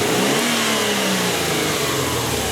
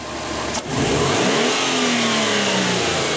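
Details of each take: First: do some snap throttle tests you can hear right away there's a hesitation to this Second: Subaru turbo engine after cleaning dirty hot-wire MAF sensor (P0171 lean, hesitation): sharp throttle blip, revs climb quickly and fall cleanly to idle, noticeably faster revving; normal throttle response.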